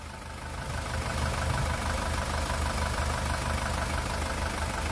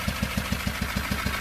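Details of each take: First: 2018 SsangYong Rexton Sports diesel at 119,174 km, after an engine rebuild (a broken crankshaft cap bolt had holed the cylinder block and melted piston 1): normal idle with a steady, even low rumble, no knocking or shaking. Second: 2018 Rexton Sports 2.2 diesel, about 119,174 km, before engine replacement: heavy regular metallic knock around seven blows a second, shaky uneven idle, white smoke; crankshaft cap bolt head broke, holing the cylinder block and melting piston 1.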